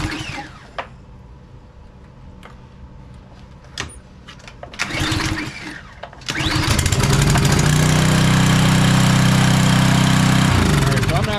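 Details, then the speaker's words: Craftsman 190cc pressure washer that wouldn't start: quiet cranking pulls, then it catches and runs strong and steady on starting fluid sprayed into the carburetor. Fuel delivery fault; the carburetor is to be cleaned. "but with getting an alternative fuel supply this thing fires right up and it runs perfect"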